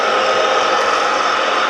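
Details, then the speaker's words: Milling machine with gear-driven head (also horizontal mill), repaired, coolant pump unblocked, now fully working: even steady mid-pitched gear hum, only the gears audible, no grinding or knocking; running normally. "Gear driven head. That's what the only noise you can hear is the gears."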